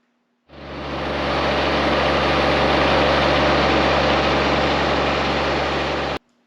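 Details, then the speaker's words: John Deere X758 mower, Yanmar diesel at about 40-some hours, run to warm up before its first oil change: smooth, even diesel drone holding a steady low beat with no knocks or misses; normal idle. "so I also uh just got done running this I'll put a clip of that in here as well"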